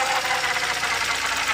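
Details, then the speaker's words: BMW 328i first start after engine swap, power steering fluid low: steady even idle with hissy busy top end and no misses; running smooth. "Engine is running smooth."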